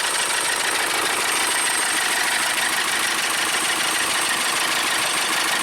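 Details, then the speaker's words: 2012 VW Tiguan GDI turbo that stalled on the highway with the low oil pressure lamp possibly flashing; after refilling the oil, fitting a new belt and boosting the battery, it runs with harsh diesel-like clatter and spraying oil, suggesting expensive internal damage. "Sounds like a diesel. Wow. See that oil spraying up there. Not a good sound."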